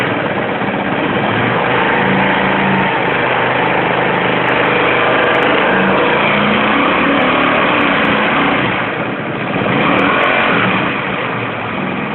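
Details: Comet 250 motorcycle idling steadily with an odd repeating clatter, roughly three or four beats a second, from the engine; something is off, source unclear.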